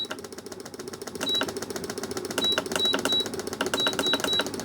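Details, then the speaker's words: Charity-shop vibration plate being tested with speed and program modes: fast buzzing rattle shakes the bench, button beeps as speed steps up; runs normally. "Oh, look at that. Okay, it does go. It's oscillating my whole bench. Whoa, it's like a DIY earthquake."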